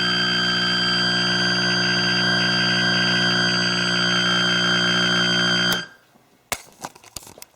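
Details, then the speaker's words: Atari Centipede cocktail arcade cabinet, after harness cleaning and reassembly, emits a loud, steady buzzy alarm tone that cuts off abruptly. The cause turned out to be a shorted slam switch. "The bad news is I have no idea what's causing this sound."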